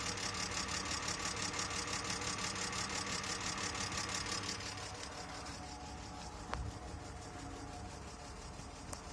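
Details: 2002 BMW E46 320 that sat for a year: rough, tractor-like idle with a fast, even clatter, about three beats a second; cause unknown.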